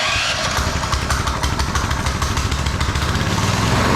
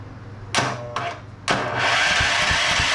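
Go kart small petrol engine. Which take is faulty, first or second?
second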